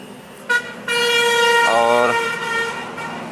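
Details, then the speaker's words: Hyundai Eon with a steering problem and scan codes for sensor fail and motor circuit short to battery; wiring is suspected. With the cover removed, a multimeter set to continuity gives a clear, steady high-pitched beep before the fuses are checked. "तो सबसे पहले हम इसको multimeter का continuity पर set करेंगे इसको, और इसको हमने कर दिया सेट। और तो देख सकते हैं बीप की आवाज़ आ रही है, ये देखिए।"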